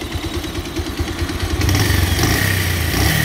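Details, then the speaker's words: Bajaj Pulsar 150 single-cylinder idling after a self-start; a light, fast ticking "kat kat" of about three per second rides over the exhaust beat. It began suddenly at about 90 km/h. Owner suspects the timing went out or the timing chain stretched. "लेकिन आपने देखा इसमें एक अजीब सी आवाज़ आना शुरू हो गई है कट कट कट कट"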